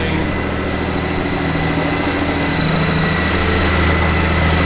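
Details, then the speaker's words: 2013 Honda Goldwing flat-six, idling smooth and even with a steady beat, no knocks, ticks or misses; everything sounds in tip-top shape, normal idle. "Everything sounds to be in tip-top shape."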